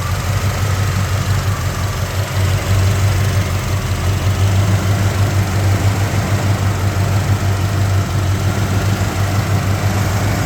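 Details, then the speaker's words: 1987 Jeep Grand Wagoneer with fully rebuilt rare AMC 401 V8, Fi Tech fuel injection, new fuel pump, distributor, plugs and water pump, 62,000 miles, just started: deep, even, quiet idle with no ticks, misses or knocks; healthy engine. "As you can hear, it started right up. See how quiet and smooth it is?"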